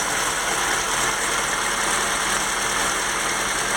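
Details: FSC Żuk old 1-ton truck engine at idle after replacing a broken exhaust manifold stud: even, steady hum with no ticking or puffing; exhaust sounds sealed, though a slight leak remains between intake and exhaust manifolds.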